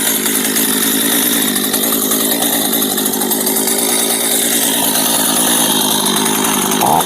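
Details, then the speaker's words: Two-stroke chainsaw stored over a year that would not start, now running after a dead spark plug was swapped for a spare: loud, raspy buzz at steady idle with chain whir; chain keeps turning at idle, which is dangerous; sprocket set needs repair, cause not yet found. "ตัวนี้เดี๋ยวจะมาหาสาเหตุที่โซ่มันวิ่งนะครับเวลาเดินเบาครับเดี๋ยวคลิปหน้าครับเดี๋ยวรอชมว่ามันเป็นอะไรทำไมโซ่ไม่หยุดหุนนะครับ"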